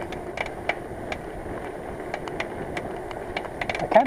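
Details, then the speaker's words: Bicycle rear hub while riding on wet, greasy roads: light uneven ticks from the rear wheel over road and wind noise, with no pedaling drag; hub noise worsening, later repacked with no obvious damage found. "that noises get worse I do hope I get home before anything seizes"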